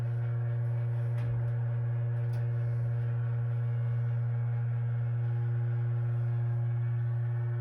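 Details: Water heater piping with a steady low hum at one pitch and faint overtones; vibration is stronger on the left unit, there are no leaks, expansion tanks read about 70+ PSI, it is intermittent with faucet use, and the cause is not found.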